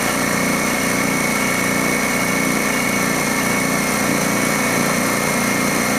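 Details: DeWalt D55146 air compressor running with its loud, steady buzzing pump: the leaking check valve lets tank air bleed back after cut-off near 200 PSI, so it kicks on again around 140-160 PSI and cycles repeatedly; check valve needs replacing.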